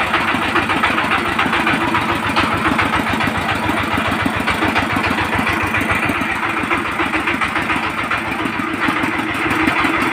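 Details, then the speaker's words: 20 hp single-cylinder diesel power tiller engine at idle before valve clearance adjustment: sharp tapping knock with slight unevenness, like a misfire, pointing to excessive rocker clearance. Adjustment removed the knock. "তো আপনারা এই সাউন্ডটা তো শুনলেন ইঞ্জিনটার সাউন্ডটা একটু problem আছে মানে একটা ধাক্কা মারছে অরিজিনালি মিসফায়ার আসছে"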